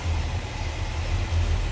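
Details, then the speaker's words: 1968 Oldsmobile 442 convertible, 455 V8 with C heads and new Edelbrock carb, hood open, idling: low, steady, even thrum with no knocks or misses; smooth, healthy idle. "You can see that's a nice smooth running engine, sounds good."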